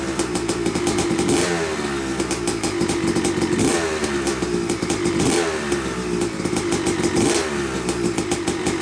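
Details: Yamaha YZ250 two-stroke (270cc/250cc) motocross bike, first start after a full engine rebuild (bottom end, transmission, bearings, clutch, power valve), took a few kicks: crisp ringing note blipped repeatedly, clean pickup and quick return, no knocking; smoke from assembly oils normal; runs normally.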